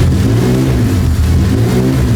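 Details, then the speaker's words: $500 Honda Civic on first startup after its engine and transmission were installed, before dyno tuning: a deep, even engine note rises and falls with throttle, clean and without misfires or rattles. The engine sounds healthy. "Keys in. Fuel cycles. Oh my God! She lives!"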